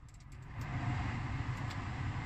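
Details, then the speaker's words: Blower fan on a 2003–2007 Honda Accord after repair, running in all speeds with a steady low whoosh, no squeal or rattle; the fault was the blower power transistor/resistor, not the motor. Normal blower operation. "bet you can hear that working in all the speeds so that's it guys"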